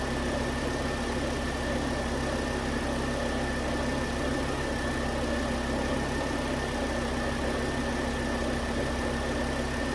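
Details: 2009 Volvo S40 T5 AWD R-Design, flood-damaged Copart car, after a melted alternator idler pulley was found as the fault: steady even idle with a smooth low drone, no knocks, misses or squeals; normal idle.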